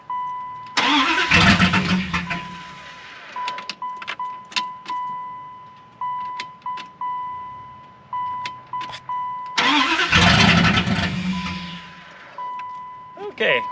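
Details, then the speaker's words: 1995 Dodge Ram 1500 5.2 after new batteries and fuel lines: two short cranks each catch then die within seconds; zero fuel pressure at rail. Cause found: broken/corroded ground wires near fuel pump and tail light harness. "so i was thinking i might as well test the fuel pressure at the rail again since i still have the gauge and it did read zero"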